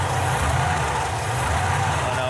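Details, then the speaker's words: 1968 Camaro RS/SS V8 started after new fuel lines, oil and transmission fluid; brief hesitation from new fuel lines, then even steady burble with no skips, all cylinders firing: normal idle. "Oh, fires right up. Okay, little hesitation because of the new fuel lines. She's coming back. A, this thing sounds so good."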